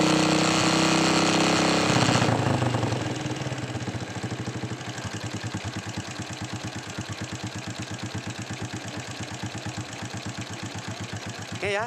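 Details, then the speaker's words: Honda Supra X 125 motorcycle after repair of loud rattling (kletek) engine noise: starts, revs briefly, then settles into an even, steady idle with the ticking gone, sounding normal again. "suaranya itu jadi halus lagi sudah normal kita pasang bautnya"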